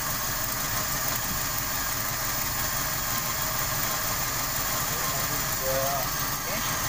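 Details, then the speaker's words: 1995 Toyota Kijang 5K with abnormal, stalling idle, after a likely damaged part was blocked off with a bamboo plug; steady even idle with no stumble, surge or hunting, back to normal though power is slightly low. "Dan normal ya. Normal. Tenaga sedikit sih, tapi enggak ini. Enggak yang tadi enggak nyetot ya. Sudah normal suaranya teman-teman ya."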